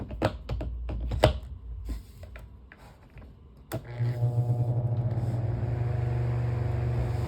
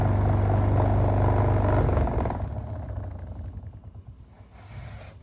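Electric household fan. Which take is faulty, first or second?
second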